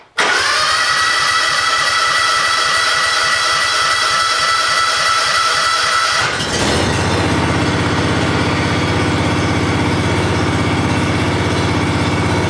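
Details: John Deere 757 mower, first start of the year after sitting since last fall, fresh gas, owned since new: starter whirs about six seconds, then catches and settles into a steady, even run with no knocks or misses.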